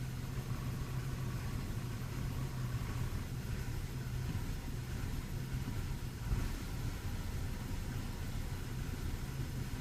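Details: 2004 BMW E46 316ti Compact, N42 B18 petrol engine, after starting: a low, uneven wavering rough idle, with fault code 272C/E1 'LR-adaptation add. per time' stored.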